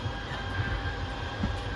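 A low steady motor hum with a faint thin whine on top, even and unbroken; the slide motors are squaring up normally.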